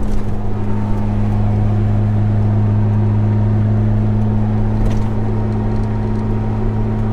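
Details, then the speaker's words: Jeep TJ cruising with roof/windshield light bar after noise fix: steady low engine and road drone, no whistle or hum; light bar now totally quiet, normal cruise. "but you can see now it is totally quiet"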